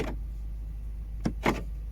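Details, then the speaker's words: Ford C-Max (Focus), child lock malfunction warning, possibly from battery drain after being left unlocked. With the ignition on and the button pressed, two crisp clicks a quarter second apart sound from both rear doors. The actuators work and the error clears. "And just press this thing a few times. You can hear the clicks. I can hear them in both rear doors, so they are working."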